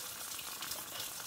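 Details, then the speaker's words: Vintage antique-store moka pot, first brew, at the end of brewing: steady hissing sizzle with bubbly spitting as it gurgles water or air, signalling the brew is done. "i think go ahead and quit right there with it because there is a now yeah it's starting to gargle water or air"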